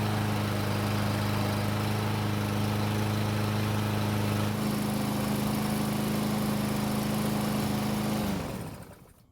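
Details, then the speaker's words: Free Murray push mower that wouldn't start without gasoline in the carb throat; took several pulls, then steady even single-cylinder drone for eight seconds before shutoff. "so it took several pulls but it finally started although after filming it started with only a couple of pulls"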